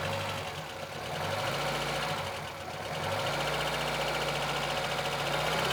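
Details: VAZ 2114 (Lada Samara) engine with unidentified knock, owner asking what it is: fast, fairly even knocking about three or four per second rides over the engine and follows the revs; something inside the engine is knocking.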